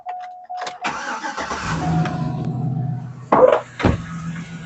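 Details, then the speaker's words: 2007 Chevy Silverado idling steadily after a stainless steel exhaust manifold install. The earlier exhaust leak is now barely audible, with no ticking or puffing. One broken manifold bolt remains and may later get a clamp or be extracted. "like I said, I had an exhaust leak and you really can't hear much of it anymore."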